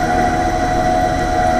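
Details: AAON 5-ton rooftop HVAC unit: a steady mid-pitched whine with a rough droning undertone. Fan motor bearing failure is suspected, not confirmed.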